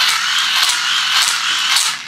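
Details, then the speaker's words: Cheap plastic-geared hand-crank USB dynamo cranked while powering a 5W LED strip: a harsh, raspy croaking grind with rough pulses as the overloaded plastic gears skip and scrape. "Because when you try to power something which is drawing too much current, the gears start to skip and scrape against each other because they're just plastic."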